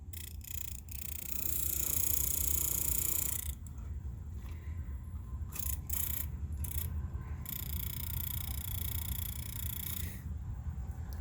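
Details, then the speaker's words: Leslie speaker fast motor running: low drone with irregular surges, jumping and sloshing sounds; the motor stack is to be rebuilt. "fast motor issues isn't it and it's jumping sounds and it's sloshing from time to time so i'm have to rebuild this thing"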